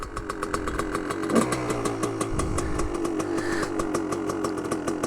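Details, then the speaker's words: 2001 Gas Gas EC300 300cc two-stroke dirt bike, not fully warmed up, jetting on the lean side. It starts into crisp, rapid, even popping at a fast idle with a little blip. Running cleanly; owner suspects residual crankcase oil. "Let's see if it starts up. Sounds pretty good."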